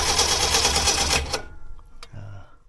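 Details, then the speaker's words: 1964 Ford Ranchero being revived with a coil and points ignition: fast, even starter cranking for about a second with no firing; cranks but no start. "doesn't sound like it has fire oh it doesn't okay I can hear it pulling juice from the from the uh"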